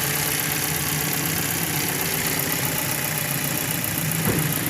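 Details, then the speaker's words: Car previously misfiring and jerking despite new spark plugs and ignition coils, after a part replaced: petrol engine idles and revs lightly with a steady, even hum, no misses, stumbles or knocking; now okay. "او ہو او گاڑی ٹھیک ہے اب بالکل اوکے ہے ابھی الحمدللہ"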